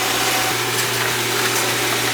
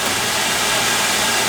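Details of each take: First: Oil burner firing after service (transformer replaced, filter vacuumed), blower fan not yet kicked in: a steady, even roar with a low constant hum underneath, no sputter or pulsing; burner lit and running normally. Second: Oil burner on a furnace/boiler that wouldn't fire, after several reset presses: steady airy hiss of the burner motor and oil spray with no low roar of flame catching; the ignition transformer is dead, so there is no spark.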